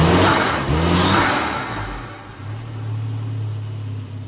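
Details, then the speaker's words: 1993 Volvo 245 turbo wagon, engine torn down after an external head gasket leak, coolant just topped up with distilled water. After the repair it takes a couple of quick blips, then settles to a steady, even idle with no knock or misfire, sounding healthy. "that's healthy though okay this thing is uh sounding great"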